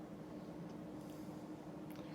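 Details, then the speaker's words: Lasko 52-inch "top mount" ceiling fan made by Sanyo circa 1983-84, wood blades at 13-degree pitch, on high speed around 190 rpm; steady low hum with a faint even running moan from the motor, otherwise smooth. "as you can hear the fan has a bit of a running moan to it up on the high speed here but we're cranking around 190 I would say rpms"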